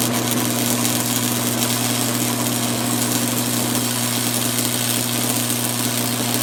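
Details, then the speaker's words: 1982 Montgomery Ward Powr Kraft 230 amp stick welder, restored, cranked to full with 5/32 6011 rod: deep steady transformer hum under a crisp frying arc; extra vibration from sitting on a metal plate. Normal arc welding under load. "She's welding nice. She's making some vibrating sound just because she's on this metal plate here."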